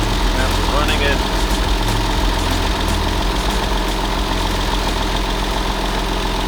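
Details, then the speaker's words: Crash-damaged 1999 Porsche 911 (996), first start in about 12 years on old gas and no coolant: steady low rumble, even idle with no knocks or misses, oil pressure present, run only briefly. "all right we don't have coolant so let's see sounds decent one is all right"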